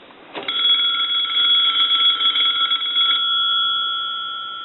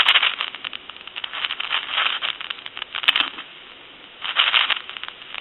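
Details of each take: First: Touch-tone brass Majesty telephone, bell enclosed inside the tall body: steady even ring about three seconds, muffled but clean, then dying away; ringer works, quiet because sound is trapped. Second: Touch-tone brass Majesty telephone under repair, dial tone with handset shaken: harsh crackling static surging in bursts from the noisy carbon T1 transmitter, to be replaced with a better microphone — carbon transmitter static.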